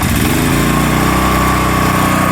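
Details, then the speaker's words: Predator 13,000 W tri-fuel portable generator, remote start; catches within a second and settles straight into a steady even buzz with no misses or surging, run about a minute before switching the breaker on; starting normally. "And there it is, fired up. You want to let it run for about a minute like this before you switch this breaker on."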